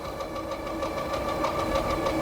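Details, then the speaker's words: Hidoes B10 e-bike at full power with pedal assist, about 28 top speed: fast steady ticking and a light repeating knock over wind and motor whir; not yet checked over, owner suspects an assembly issue with something catching. "I don't know what that noise is it might just be assembly issue I don't think it's nothing major"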